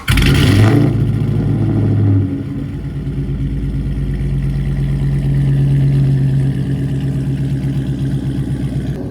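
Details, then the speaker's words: 5.7 Hemi just fitted with intake manifold spacers and a new thermostat, fuel pump reprimed: starts with a loud rev flare then settles to a steady, even idle, no knocks or misfires; running fine. "All right, so we're just gonna walk over, make sure we got no leaks. Things running fine, so there's those spacers right there in the middle, that silver piece."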